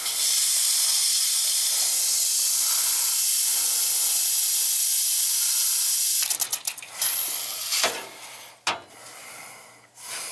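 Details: Hot-water heating system after an old cast iron radiator was replaced because of freeze-up, being bled: steady high hiss of air escaping from the radiator bleed valve for several seconds, then sputtering bursts as water reaches it.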